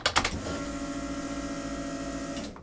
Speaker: the way that the relays are set up on the fuel pump is you put the key forward you'll hear the fuel pumps turn on and then they'll shut off but if you turn the car on the fuel pumps turn right back in